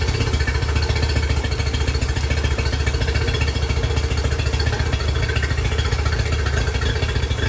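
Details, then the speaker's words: Yamaha 50HP (T50) outboard that had sat a while, on a muffs test: low, uneven, stumbling idle at three to four beats per second, one cylinder not pulling; rough running on a dead cylinder. "e times and it sounded like it popped like it popped into Maybe forward that's what it kind of sounded like"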